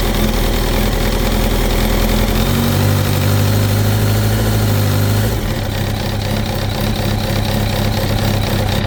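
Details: 2005 Kawasaki ZX10R Gen1, 41,000 km, at idle: light, uneven knock about three per second over the engine note; unchanged after a new cam chain, tensioner and valve adjustment; owner suspects clutch basket back springs, generator thought unlikely.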